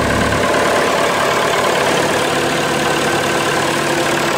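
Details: Massey Ferguson 180 diesel tractor started after running out of diesel and bleeding the fuel lines: steady, even diesel clatter with no misses or knocks, settling into a clean idle; it runs normally.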